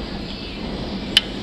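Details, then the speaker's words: 2002 Honda CRF450R, rebuilt bottom end and new transmission, about half a tank since: a sharp click while turned over slowly, always at the same point halfway between TDC and BDC; cam, chain and decompression not loose, cause unknown. "you hear that clicking and it's not top dead center it's not bottom dead center but it's always in the same spot like a gear click or something halfway"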